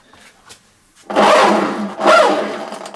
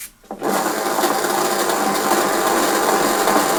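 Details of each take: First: Hyundai walk-behind lawn mower pushed forward: harsh rasping grate with squealing edge each time it rolls, from a dry freewheel clutch in the drive system, fixed by removing the wheel and lubricating it. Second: Hyundai lawn mower pushed forward after lubricating the noisy grating freewheel system; steady even rasp of wheels on grass with no clicking or squeal, freewheel now quiet.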